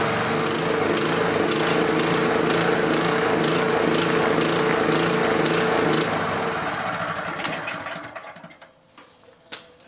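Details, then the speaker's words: Honda GX pressure washer engine that sat about 10 years, running after the coil was re-gapped. It pulses fast and fairly even, then sags and stumbles to a stop. It runs lean and needs choke; the owner suspects a shifted fuel shutoff-valve gasket. "that's why i'm not getting enough fuel the way that's running i have to put the choke on it's not getting enough fuel"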